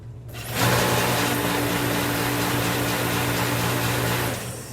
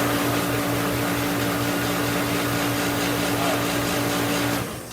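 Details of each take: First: Master 100,000 BTU kerosene salamander space heater that quit on a 17-degree day, top cover off, spark confirmed: steady fan-motor hum with low drone and no burner roar; it never lights, fuel delivery to the nozzle suspected. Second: Master 100,000 BTU kerosene salamander space heater on a 17-degree day, after the pump pressure the owner had fiddled with was reset to the right psi using a gauge: steady fan and flame roar with constant hum, burner lit and firing normally.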